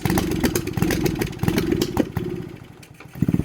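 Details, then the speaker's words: Honda Grom clone single-cylinder at full throttle: steady putter sags, beats thinning and slowing almost to stalling, then picks back up; bogging began only after the ignition coil was replaced. "That was full throttle right there, and it almost died. Why would it do this though? It only started doing this once I changed the ignition coil."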